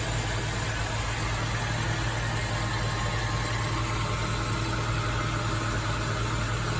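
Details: Nissan Fairlady Z Z33, VQ35DE V6, automatic, 310,000 km, just after a DIY engine overhaul: smooth, even idle with a steady low rumble and no knocks, ticks or misses. A healthy-running engine.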